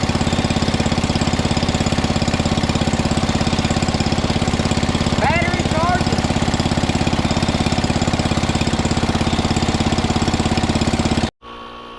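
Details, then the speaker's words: 1961 International Cub Cadet Original, 7 hp Kohler single-cylinder, first start-up, throttle all the way down, choked to start, running with no choke: even idle, about two hundred firing beats a minute, no misses or knocks, then clean shutoff; running fine. "That was the first start up. >> It's running with no choke."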